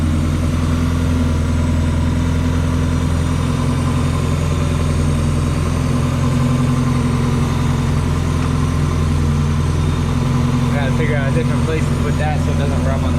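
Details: NA Mazda Miata after cylinder head replacement, fuel feed and return lines corrected: smooth, even idle with a steady low rumble, no misses, knocks or ticks; running quiet, old belt suspected of a noise.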